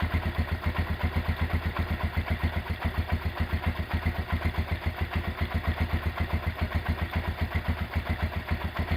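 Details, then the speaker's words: Rebuilt Honda GL100 engine with Aspira piston, CDI ignition and valve clearance set to 0.10: even, steady single-cylinder thump at idle with no ticking or clatter. Normal, smooth idle after the rebuild. "Oke, itu dia hasil peremajaan mesin Honda GL100 ya. Untuk suara mesin halus dan enak ya."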